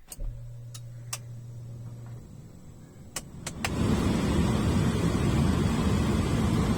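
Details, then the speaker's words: Alto AC blower after motor removed, cleaned and refitted, key on: switch clicks, then fan spins up to smooth steady rush of air, no rattle, scraping or former humming; normal blower operation after cleaning. "Okay ആ sound പോയിട്ടുണ്ട് ട്ടോ Abu sound പോയിട്ടുണ്ട്"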